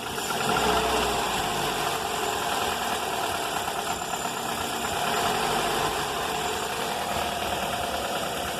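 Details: 2004 Toyota Corolla at idle, noise began before an engine rebuild (pistons, timing chain, tensioner, valves, VVT replaced) and persists, on 15W-30 oil (15W-40 didn't help): light fast ticking knock, ~3–4 per second, rising and falling with throttle; cause unknown.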